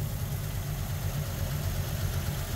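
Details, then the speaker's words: 1953 Ford Customline flathead V8 that last ran 2-3 years ago, first start after sitting: steady low rumble settling into an even idle with no knocks or misses. It runs smooth. "Look at that flathead. That thing runs better than the Javelin."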